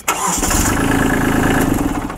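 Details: Kubota B2650 tractor diesel during the 50-hour start system safety check: brief crank then catches quickly and settles into a steady clatter; clean, normal start.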